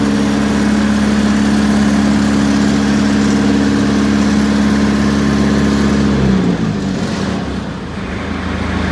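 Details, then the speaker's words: Perkins 4.15x diesel in an ~1980–81 Bobcat 843 with tested injectors and an electric fuel pump: it runs at a steady beat with a slight shake, then dies. It fires on all cylinders with balanced exhaust temperatures, but still runs rough, cause unknown. "i seem to have a balance situation but still running rough i think it probably should be smoother"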